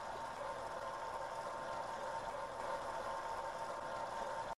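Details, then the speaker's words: Shallow-well pump in Florida, unused for a year and run on solar power, with water running through the pump and tank to check it keeps its prime: a quiet, even motor hum with a faint water hiss, no surging or rattle; running normally. "i'm gonna let that water run through the pump and tank see if it keeps its prime just let it run for a while see if the uh the well itself the shallow well still has that pocket of water"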